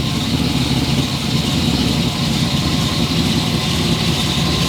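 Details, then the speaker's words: Second engine of a cheap project boat, said to be a new motor: deep, steady, even idle with no knocks or misfires; sounds healthy. Normal idle. "I'm so pissed. It sounds good. Why are you pissed? It's a new motor."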